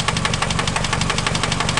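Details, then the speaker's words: Engine at idle with rod knock: sharp, evenly spaced knocks at crank speed, roughly twelve a second, slower than valve tick; noise sounds like the top but comes from below the cylinder head, a worn rod bearing. "you know that that that noise is not coming from the valve train all right which is the top right here the top of the cylinder head that's coming from below it even though it sounds like it's on the top it's coming from underneath down here"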